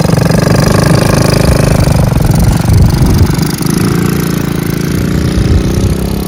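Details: 1969 Honda CT90 Trail small single, revived after sitting about 10 years, intake tube changed for a one-year-only carburetor: fast, slightly lumpy idle, low and steady with no knocks; runs again.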